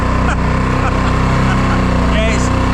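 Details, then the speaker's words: Small cabin boat outboard at full throttle: a steady buzzing note that wavers in pitch, surging and running ragged and having cut out earlier; owner suspects a blocking fuel filter or fuel cutting. "You can hear it surging a little bit. It's going a bit raggedy. Not really sure what's going on. I suspect it's some kind of cutting of fuel."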